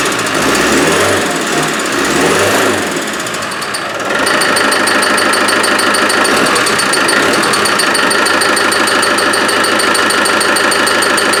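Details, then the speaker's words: Land Rover 110 with 300Tdi diesel, engine, gearbox and transfer case rebuilt last year, developed a squeak; running with auxiliary belt removed, sharp regular chirping about three per second persists, so noise comes from inside the engine; something suspected rubbing, cause unconfirmed. "something's rubbing somewhere so when I take the radiator out take the front off have a look at that that's really really really odd"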